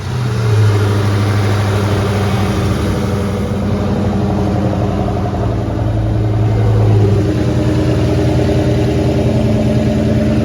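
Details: Brother's C5 Corvette LS V8 idles with a deep, steady, lumpy rumble and no rattle or tapping, after loose, rattling O2 sensors were tightened.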